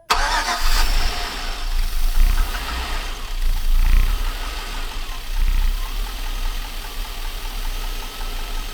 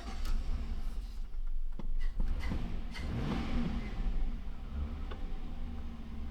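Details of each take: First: Junkyard 5.3 Vortec LS swapped into Chevrolet Silverado 1500, first startup, weak battery: engine catches but revs sag and surge unevenly, needing slight throttle to stay running; owner suspects very old gas or computer relearning new system. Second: Chevrolet Silverado 1500 with rebuilt junkyard 5.3 Vortec LS V8, deep steady rumble rising smoothly under throttle, no knock or miss; engine sounds healthy after swap.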